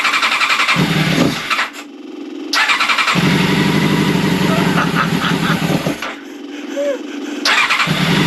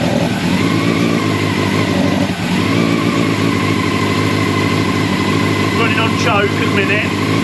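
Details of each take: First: Old Honda CBR600 track bike, started on choke: catches and runs rough, then dies twice as soon as throttle is opened; carbs need removing and cleaning. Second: Old Honda CBR600 track bike four-cylinder, first start after sitting long, on choke, not yet up to temperature: steady idle then clean pickup on throttle blips, slightly boggy; running again.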